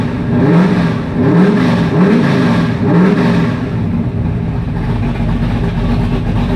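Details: 1985 Mustang GT Fox Body with fresh 347 stroker V8, carburetor, open headers, first fire; loud lumpy but steady idle with light blips, runs evenly and sounds healthy; normal idle.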